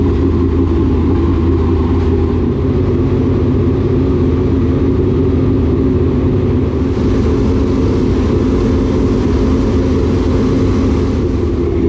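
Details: Fresh engine in a dirt late model race car, idling after a fuel adjustment: deep, steady V8 rumble at an even idle with no misses, knocks or ticks; it sounds healthy.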